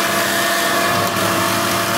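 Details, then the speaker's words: 2003 Chrysler Town & Country (same as Voyager/Caravan) raised on a lift, chassis-ear sensors swapped side to side: steady droning hum with a faint whine traced to the right front wheel, though the customer felt it on the driver's side; worn front wheel hub bearing. "Pero prácticamente nuestro ruido está en el canal, o más bien en la llanta, se puede decir que en la llanta derecha, amigos."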